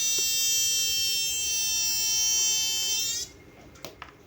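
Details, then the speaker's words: Chinese TV switch-mode power supply regulator with B+ dropping to about 7 V, driver and final transistors already replaced; shrill steady one-pitch whistle for about three seconds then stops: squeal suspected from a shorted diode. "Kayaknya ada dioda yang short ini, teman."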